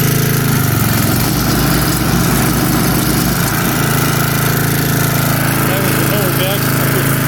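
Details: 1982 Snapper Comet riding mower, electric start, 8HP Tecumseh, 30" cut. The small single-cylinder engine runs with a fast, even putter and no knocks or misses. Normal running.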